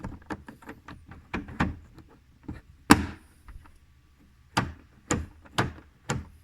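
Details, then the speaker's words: 2003 GMC Sierra driver's door after the outer handle is replaced and the rod reconnected: working the handle gives sharp, crisp clicks and solid clunks, clean and consistent; the latch actuates properly. "we can hear it actuating, so that's good."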